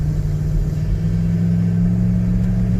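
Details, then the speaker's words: V8 after fuel injector cleaning, airbox fitted: deep smooth rumble at steady idle with no misfires or stumbles; runs even, airbox is just noisy; normal idle. "can hear that thing and I've got the uh airbox and everything on it it's just a noisy airbox"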